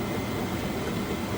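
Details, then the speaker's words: Vevor all-in-one diesel heater (4–5 kW) installed in a 2011 F-150 truck bed canopy, warming up and producing heat: loud, steady rushing whoosh with no knocks or rattles, the blower running flat out at high fan speed. "now I want to figure out how to turn the fan speed down"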